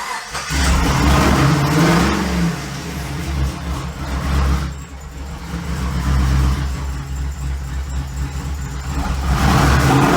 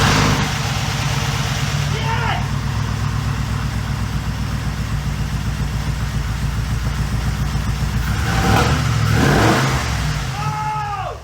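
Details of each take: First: 6.0 LS V8 from a 2008 Pontiac G8, swapped into a 1950 Chevy chassis with race parts, not yet tuned: lumpy, uneven idle that surges and dips with a deep rumble; rough idle blamed on the big lumpy cam and the lack of a tune. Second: Pontiac G8 with a 6.0 LS engine on stock exhaust, first start after reassembly with race parts: strong steady idle with clean throttle blips that rise and fall smoothly, no stumbles or knocks; normal running.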